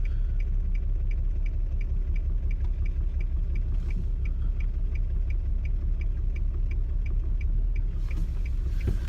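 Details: 2002 Nissan Altima 3.5 V6 coasting in drive without throttle, whole car shaking, also stutters under hard acceleration: heavy low rumble with faint tick nearly three times a second; rough running, cause unclear.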